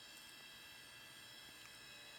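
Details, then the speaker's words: Junk thrift-store desktop PC: several thin steady high-pitched tones, constant whine from the spinning hard drive in a quiet room; drive suspected failing, unconfirmed. "so man that drive sounds like crap"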